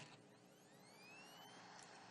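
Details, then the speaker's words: 2.5-inch SATA hard drive on a USB adapter: faint rising whine at spin-up with scratchy ticking, rough on spin-down too; the drive spins but won't mount or show up, possibly a mechanical fault. "yeah even when it's spinning down did you hear that yeah it sounded kind of rough is that normal"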